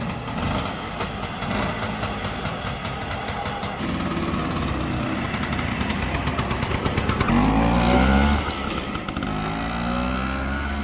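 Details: 1962 Vespa scooter, apparently 150cc two-stroke, being revived: not first kick, but after a couple of kicks it catches and runs with an even popping beat, revving up cleanly; sounds healthy.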